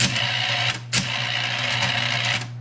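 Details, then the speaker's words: Bell & Howell RF60 Slide Cube projector: steady cooling fan hum, then short click and whir as the slide mechanism advances by remote and settles; advance works normally. "I can take the remote and push it to advance I'm just pushing the button down and it spins all"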